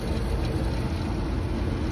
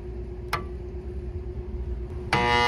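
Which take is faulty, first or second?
second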